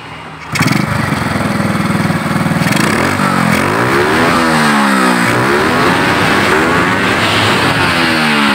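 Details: Motorcycle that had died and would not start, running again, before carburetor tuning: fires first try, settles into steady idle, rises and falls cleanly through blips; engine starts and runs normally.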